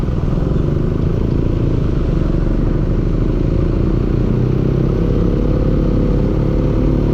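Low, heavy engine running with an uneven clatter mixed into the rumble; there's a knock in there, cause not clear from listening.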